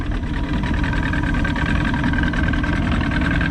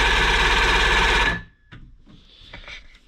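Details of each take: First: Johnson 90 hp outboard right after power pack replacement: low, even, quiet burble at steady idle with no misses or rattles, running healthy, though the owner notes something is still making an unexplained noise. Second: Johnson 90hp outboard cranking with spark present; starter churns steadily three to four beats a second, no catch; cranks but won't fire, fixed by replacing the faulty power pack.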